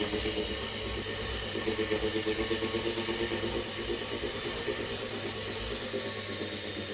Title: Wahoo kickr core - weird noise 2